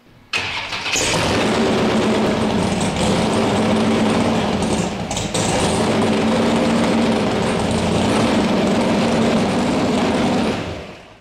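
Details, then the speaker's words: Firebird engine with the number one plug wire deliberately pulled: loping, uneven idle with a missing beat in the exhaust pulse, one dead cylinder, confirmed by a cold exhaust pipe when water is dropped on it. "see that one's cold so there's my dead cylinder very easy to find"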